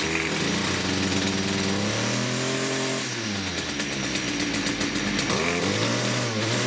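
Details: STIHL FS56 two-stroke trimmer at idle with a loud, wavering screech seemingly from the clutch area; trimmer head turns at idle when it shouldn't; clutch suspected, not confirmed.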